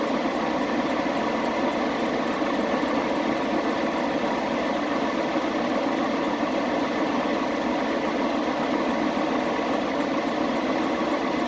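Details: Chevrolet Express 3500 after a misfire repair: steady, even idle with a smooth hum and no stumble, skip or uneven beat; the engine now runs cleanly.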